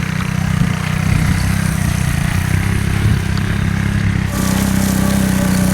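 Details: 1984 Honda ATC three-wheeler, single cylinder, after cleaning a debris-filled carburetor bowl and clogged main jet, dragging over grass: steady low drone pulling evenly, slight pitch rise near the end. Normal running under load.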